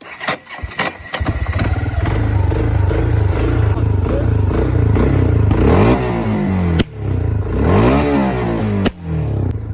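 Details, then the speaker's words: 2011 Kawasaki Bayou 250 quad: engine revved up and down, then throttle released, pumped and ignition switched off and back on. Sharp single exhaust bangs follow, a deliberate backfire. "Gas, let off, pump it a few times, switch back on. And when you switch back on, it'll blow up."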